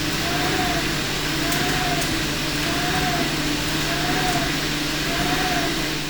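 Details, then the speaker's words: Okuma lathe boring with a long internal turning tool before activating Machining Navi L-g spindle-speed oscillation: steady machining hiss with recurring mid-pitched whistle as the boring bar chatters in resonance during the cut. "we now clearly hear the vibrations during the cut and I now change to the Machining Navi stream and I activate the oscillation of the spindle"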